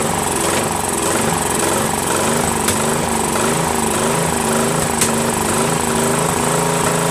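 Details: Craftsman 13.5HP mid-engine riding mower replacement engine after fitting new flywheel key: note rises and falls about once a second with sharp pops, hunting and backfiring; governor reset gave no change, owner suspects carburetor.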